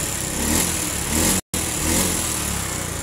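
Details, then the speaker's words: Honda Beat fuel-injected scooter with hard starting, weak ECU ground on the fuel pump circuit: with the brown/black-striped wire jumpered to battery negative, the engine picks up cleanly on each throttle blip and revs normally. "Ketika saya coba dipasangkan kembali untuk jam peran dari negatif Aki ke bagian kabel warna coklat garis hitamnya ini untuk putaran gas nya Normal"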